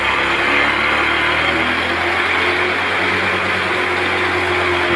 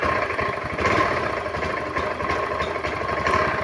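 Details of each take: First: Honda automatic scooter that was hard to start and stumbling, running after the EOT sensor was removed; steady, even hum with no stumbling, a clean, smooth idle. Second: Honda automatic scooter, hard to start and stumbling badly once running. Lumpy idle with irregular dips and surges. Faulty EOT (oil temperature) sensor blamed; fixed later by replacing the sensor with a bolt. Before the fix: idle stumble.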